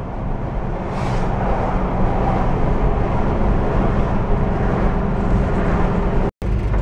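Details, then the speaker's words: VW bus road test on local highway after gear reduction box repair (noisy bearings replaced; failed transmission suspected of sending particulates): steady low drivetrain drone, no whine or grinding; rumbles a bit more when thrown into turns, otherwise quiet and healthy. "before nice and quiet you throw it into the turn you hear it Rumble a little bit more and you pre-load the bearings heing quiet now though"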